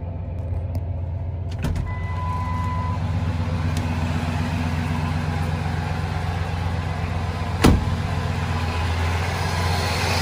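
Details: 2003 Ford F-150 Harley-Davidson edition V8 idling after an SCT BA2600 MAF install and ECM tune: low, even burble with no misses, plus a couple of handling clunks. No check-engine light. The owner notes an exhaust leak.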